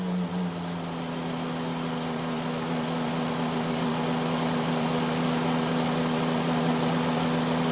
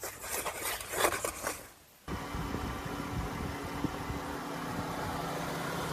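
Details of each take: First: 2013 Chrysler Town and Country engine bay idling with a steady low whine; unplugging the alternator barely changes it, so the alternator is ruled out and the power steering pump is suspected, starved by a clogged reservoir screen. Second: 2013 Chrysler Town and Country after power steering reservoir replacement, flush with Mopar ATF+4 and bleeding: brief crank, then an even idle with a faint steady hum and no pump whine; slight initial noise until fluid circulates; steering quiet.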